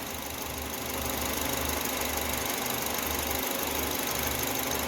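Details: Citroën C4 2.0 on gasoline, not yet warmed up (88°C), manifold pressure 250, lambda working, after throttle body cleaning/reset and a new air filter; steady, even idle with smooth low hum, no knocks or stumbles; running healthy.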